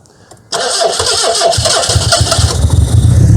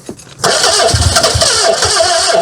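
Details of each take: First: Austin Ambassador revived after about 25 years abandoned in a hedge, timing set to big advance: catches right away and settles into an even, smooth run with no misses; oil pressure loss to the top end and possible knock noted afterwards. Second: Austin Ambassador first start after sitting 25 years in a hedge: it cranks, catches abruptly and runs ragged for a couple of seconds, barely holding on before struggling; ignition advance still to be adjusted, cause unconfirmed.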